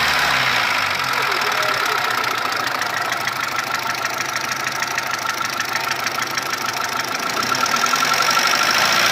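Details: Mitsubishi 1.3 petrol engine after a rebuild with cylinder head and block replaced: rapid, fairly regular ticking knock, about three per second, over a steady idle; cause unconfirmed.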